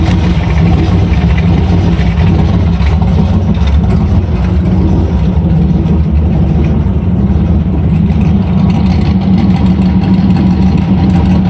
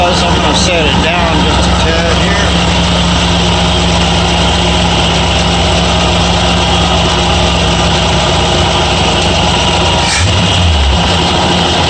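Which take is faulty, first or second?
first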